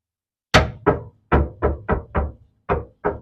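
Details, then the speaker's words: 1995 Nissan Pulsar N15 with a suspected fuel pump problem, last driven with three-quarter tank: about nine uneven hollow knocks on the fuel tank with a dull ring; sounds empty of fuel, possible leak suspected, not confirmed. "that sounds bone dry to me."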